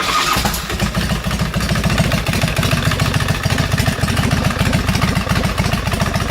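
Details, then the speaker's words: Custom Harley bobber (2007 Road King 96-inch engine, S&S Super II carb, 1957 hardtail) after a battery replacement cured an occasional starter clunk: a quick strong crank rolls straight into an uneven V-twin idle, no clunk. "not a clunk at all and I've tried at numerous times I mean that thing fires right up as it should"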